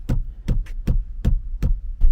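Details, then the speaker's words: Kia K9 after a 14-15 hour interior rattle repair: a rear (second-row) seat is struck, giving only dull, solid thumps with no buzzing or rattling afterwards. "이열 같은 경우는 여기를 치면은 소리가 네 안 나오고 있습니다"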